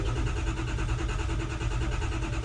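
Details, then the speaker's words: Ford F350 6.0 diesel, 99,000 miles, no-start after overheating and shutting off: relative compression test cranking shows evenly spaced pulses, no weak or fast beats; compression balanced. "Sounds uniform all through its cranking. It sounded alright."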